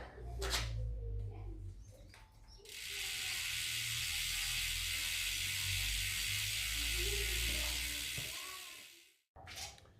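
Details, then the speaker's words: Hope Pro 4 rear hub after freehub bearing replacement, hub bearings fine: cranks still while wheel coasts, steady fast pawl ticking buzz fading as it slows; freehub sounds healthy. "So now when I do a crank and I let go of the crank must stand still, the wheel must keep spinning, and we want to hear the noise."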